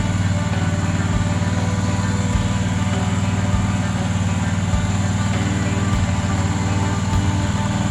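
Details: John Deere Z425 with a swapped-in donor twin, after replacing a blocked fuel line: brief crank, then a steady, even low drone with no knocks or stumbles. Runs clean and healthy.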